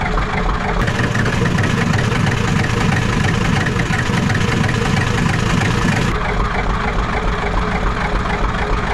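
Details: Ford 7.3 IDI diesel after glow plugs reconnected and cranking through air in the system: steady even clatter at idle, lifting and holding at working high idle, then settling; healthy running.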